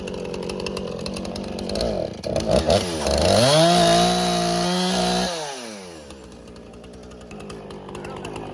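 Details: Free Husqvarna 455 Rancher chainsaw, unrun for about 3 years, revived with carburetor cleaning and repair, cutting limbs: revs up cleanly, holds a strong, steady pitch through the cut, then drops back smoothly to idle; running healthy.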